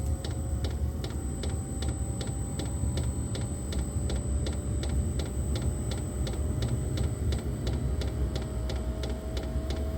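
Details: Diesel heater on full LiFePO4 battery with P20 smart charger, cold diesel, restarted after running out of fuel (possible air in line): steady fan rush rising slowly on high, regular fuel pump tick about three per second; normal running after glow plug switched off.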